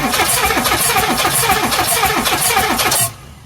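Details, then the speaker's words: 1984 Mazda B2000 engine, parked for running badly, no smoke or knock, radiator foaming, cranked via remote starter switch: about 200 beats a minute, uneven with soft strokes; owner suspects lost compression on two cylinders, possibly head gasket. "let's see if i can get it to crank so see if i got this right they're escaping compression it sounds like"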